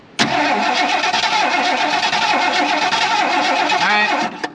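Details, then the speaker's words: 1977 Mercury Grand Marquis parked 10+ years: steady starter churning about four turns a second for several seconds, never firing; cranks but won't start, no spark at coil wire. "we don't have spark there's our first problem so I'm gonna pop the cap off let's clean the points real quick and then see if we can get sparked that way"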